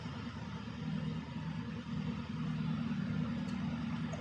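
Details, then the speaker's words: 2006 Lexus SC 430 towed in from a body shop as crank-no-start with communication codes, started after adding an immobilizer chassis ground: low, uneven idle stumbling and surging; running poorly, cause not yet found. "let's give it a ki cycle key off key on [Music] and we are running running poorly but we're running"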